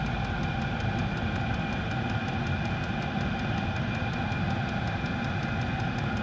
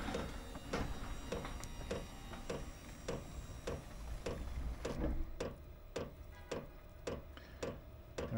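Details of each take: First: Diesel garage heater after E08/E10 fuel-related error codes, running a minute or two, fan on high, pump pumping fast, no exhaust smoke: steady hum, quick regular pump ticking, constant fan roar; normal running. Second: Chinese diesel heater with error codes E08 and E10 (fuel related) after fuel line changes; sharp regular fuel pump ticks about twice a second at startup as glow plugs heat and exhaust smokes, running rich.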